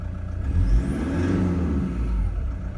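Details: 2015 Toyota Prado 1KD-FTV diesel, about 90,000 km, cold at about 7°C, under light load; low smooth hum with only a soft even clatter and no knock; quiet, healthy cold engine.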